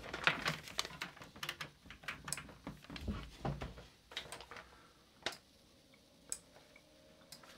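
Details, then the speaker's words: Arduino Uno driving a 2-channel 5V relay board wired across an ultrasonic diffuser's buttons: sharp, dry relay clicks in uneven bursts as the relays switch on-off to press the buttons; normal relay clicking. "and the clicking you can hear is the relays switching each way so effectively on-off on-off clicking these buttons"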